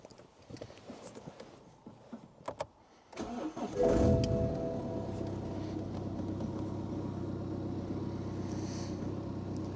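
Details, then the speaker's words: 2011 BMW 1 Series E87 LCI diesel with jerking and hold-back faults and codes including glow plug cylinder 1, restarted after clearing codes: cranks, catches quickly and settles to an even, steady idle with no knocks. Normal start; brake vacuum sensor warning remains. "So it started up nicely, it's running."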